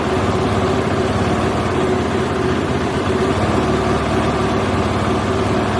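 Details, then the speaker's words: KTM four-stroke motorcycle at raised idle, near the recommended 2200–2300 rpm range set with the throttle body idle knob. Fast buzz wavers up and down and won't hold steady; unstable idle. "um it's unstable that's why it's hard to hold it fluctuates up and down"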